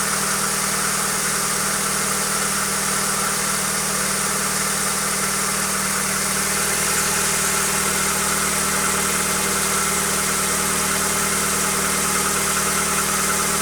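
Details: Hyundai Accent engine at steady idle with a faint, fairly regular light knock of roughly three per second; cause not pinned down.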